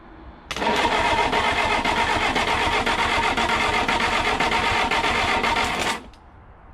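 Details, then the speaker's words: 1969 Reliant Regal 850cc engine bench-tested before fitting to the tricycle: even starter churn at about four beats a second, never fires. No fuel reaching the carburettor yet; fuel starvation. "right so this is cranking over i'm not sure we're getting this nice we have we got we haven't even got fuel yet"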